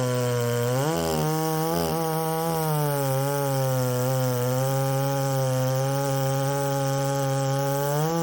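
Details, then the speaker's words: Ported Poulan 3750 chainsaw, warm, on an adapted Chinese carb meant for an Echo 590: blips twice, then a wavering buzz that keeps surging instead of holding steady. It runs erratically when warm and swapping carbs didn't fix it; the owner suspects a cracked case. "when it gets really good and warm it uh it starts running erratically and the IT Tunes erratically and nothing really quite makes sense"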